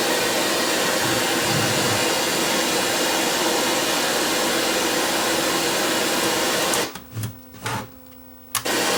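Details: Sony EVS7000 video deck: loud steady hiss and hum throughout playback, louder with the control panel installed, cutting out abruptly near the end; traced by the wet finger trick to a failing 10 µF capacitor, fixed by bridging a new one.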